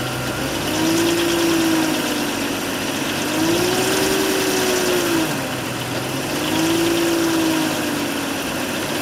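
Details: BMW 530i at warm idle: light metallic rattle with a tone slowly rising and falling; rattle occurs when engine is warm at low rpm and for a few seconds on warm start-up, absent on cold start; cause unknown.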